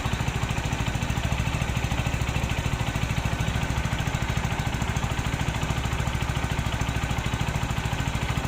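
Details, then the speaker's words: Rouser NS160 after new timing chain, guide and roller fitted: even regular idle of about 160 pulses a minute with no rough chain rattle; former rough timing-chain noise gone, idling smoothly. "Nawala yung magaspang yung natunog doon sa may timing chain. So dahil bago na yung timing chain niya, bago yung guide, roller"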